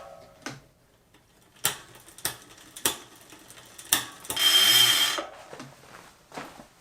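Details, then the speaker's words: Bike electronic derailleur on newly installed direct-mount hanger, before micro-adjustment: a few sharp isolated clicks then a brief motor whirr stopping without the chain moving onto the next cog; needs micro-adjustment. "You can hear it wants to go, but it's not, so."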